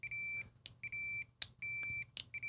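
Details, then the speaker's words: Fluke 287 multimeter on a continuity test. Probe-contact clicks are each followed by a steady shrill beep that starts a noticeable moment late. The continuity buzzer responds sluggishly. "It's kind of good, but it is really slow. So here we're doing continuity test."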